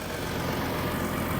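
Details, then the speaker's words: 2012 Ford F-150 EcoBoost 3.5L twin-turbo V6 FX4 4x4, about 160,000 miles, recovered stolen truck: smooth, even idle with a steady low hum and no knocks, ticks or misses; normal idle. "listen to that it sounds good"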